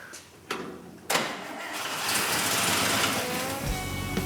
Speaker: Sure enough, man, it sounds tight. Really good. The whole problem was that vacuum leak. You can hear how it's like hands off. It idles. It's totally good.